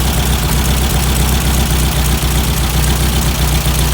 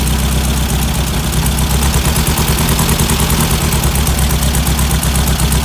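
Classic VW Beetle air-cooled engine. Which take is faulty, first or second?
second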